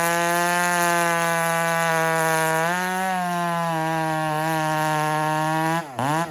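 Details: Husqvarna 394 chainsaw just fired up and held wide open off the wood: strong steady high scream that wavers slightly; healthy, slightly rich tune at full throttle.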